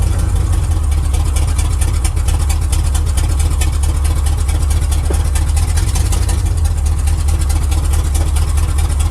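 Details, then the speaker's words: 1979 Chevy truck with misfire and a suspected loose torque converter that usually clunked at low rpm when shifted into drive or reverse: steady, smooth low idle drone in gear with no clunk; driveline sounds tight. "now typically when I put it in a drive [Music] and I put in a drive reverse and it kicks in that transmission the torque converter starts clunking let's see if it does it"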